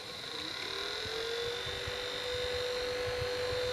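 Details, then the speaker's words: Laptop chill mat with three fans, after spraying lubricant into the fan shafts: one fan went quiet, but this one still gives a thin steady whine over a rough whir, so its shaft was not the cause. "this one right here seems to be the one that's making all the noise now this one was making noise but it is now quiet and this one's still making noise even though the shaft is now lubricated"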